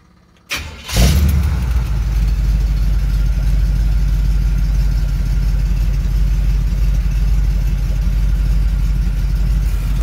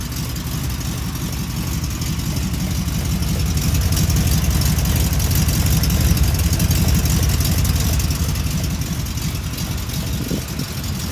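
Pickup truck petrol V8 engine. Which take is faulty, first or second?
second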